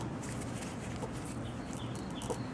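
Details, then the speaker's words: 2003 Chevy Avalanche drive shaft universal joint, seized and barely movable by hand, gives short high chirping squeaks; truck squeaked only in reverse; joint to be replaced. "This one, I can barely move it. And hopefully you can hear it squeaking."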